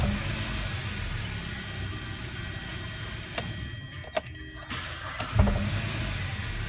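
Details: 2011 Hyundai Sonata, high mileage, after quick fix of spun No. 1 rod bearing from running out of oil: engine running ten minutes, steady even idle with no knocking, only light clicks; normal acceleration fine.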